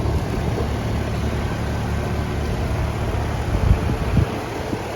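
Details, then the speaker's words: AC condensing unit restarted after a blown fuse from a low-voltage short, with the 45/7.5 µF capacitor reading 43.5/7.2: steady, even compressor and fan hum with no clatter. The system was later found low on refrigerant from a leaky valve core. "well, she's off and running. Give it a couple minutes, see what it does."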